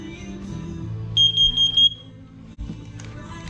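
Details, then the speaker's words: Carbon monoxide alarm in downstairs hallway on August test, horn partly covered: loud high-pitched beeps in a short muffled burst, then stop; CO alarm sounds properly. "CO detector's good in the downstairs hallway."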